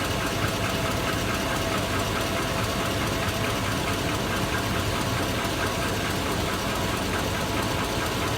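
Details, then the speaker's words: 2002 Chevy Avalanche V8, warm idle, good oil pressure: a steady, rapid knock over a busy, rattly engine sound. The owner is unsure whether it is rod bearings, piston slap, an exhaust leak or valve tick. "that good oil pressure but she's got a pretty good knock let me know ugm fans should I get rid of her I think so she does not sound too good"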